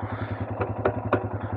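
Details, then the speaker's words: Royal Enfield Himalayan after bump start on a cold rainy day, warmed up about 20 minutes, a little choke: steady, even single-cylinder thump at idle with a few light mechanical clicks; idling normally. "let's just give a little bit of choke and there we go sorted back to normal"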